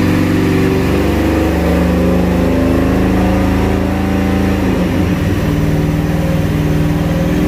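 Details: Ford SVT Lightning V8 truck on a dyno, check pass on the rollers: it pulls hard under load, then the beat stumbles and breaks up briefly near the end. Misfire traced to the aftermarket MSD coils.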